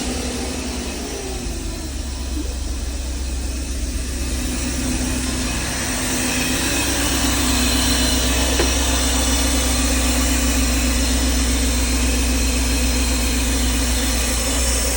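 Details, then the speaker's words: 1992 Mercedes R129 500SL after fixing the overvoltage protection (OVP) relay, ending years of rough idle and misfire: even, steady, smooth idle with no stumbles. "ey, and instantly the engine ran smooth. No more rough idle, no hesitation, everything just worked."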